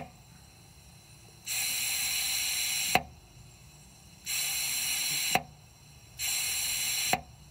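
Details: 2005 Ford Super Duty 6.0L diesel, hot no-start with low ICP (code P2291); high-pressure oil system air leak test via ICP sensor adapter after replacing a fitting: three steady hisses ending in sharp solenoid-release clicks, normal air bleed-off, no leaks.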